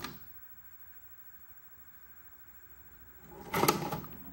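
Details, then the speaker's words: GE Spacemaker 13-inch CRT/VCR combo, tape inserted: the mechanism whirs and spins up, then a short clattering burst as the cassette shoots back out seconds later. "so it seems to begin to spin up but then it just shoots right back out"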